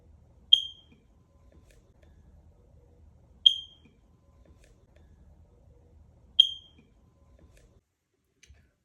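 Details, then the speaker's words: Smoke detector: single short high chirp about every three seconds, low 9-volt battery needing replacement. "when your smoke detector starts making noise you hear chip chip chip chip then it's time to replace that battery and it's a 9 volts battery"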